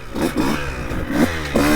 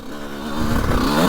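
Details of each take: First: 2002 CR125 two-stroke before tuning, on stock jetting with little top-end work: slow throttle response, revs rise and sag unevenly with a blubbery stutter and break up before the power band. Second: 2002 CR125 two-stroke ridden after port work and carb rejetting: crisp rise to a clean, sharp howl under throttle with no stumble or rattle, jetting sounding right; normal revving, now screaming.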